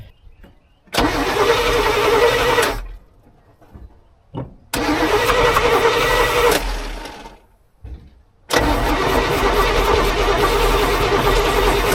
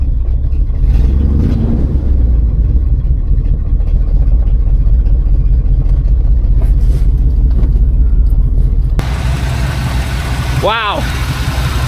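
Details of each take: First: 1986 GMC square body, sat 9 years, two-stroke oil added to fuel for lubrication, first start attempt: three long cranking bursts with even starter rhythm; turns over but never catches. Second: 1986 GMC square-body truck, Chevy 350 V8 just started after 9 years, idling in neutral to recharge a battery run low from cranking; the oil reading shows zero and the owner worries the oil pressure switch may not work. Steady, even rumble, no knocks: normal idle.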